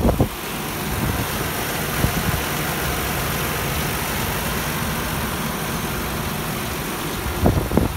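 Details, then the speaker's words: 2001 Nissan Maxima A33 3.0 automatic, hood open: engine idles evenly and steadily, no misfire or stumble, no smoke; owner reports no oil consumption between changes. Normal idle. "Мотор работает ровно, не троит, ничего не дымит."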